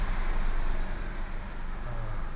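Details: 2011 Kia Picanto 1.0 manual idling after a no-crank no-start was fixed: low, smooth, even idle with no knocks, misses or stumbles; scan reports normal.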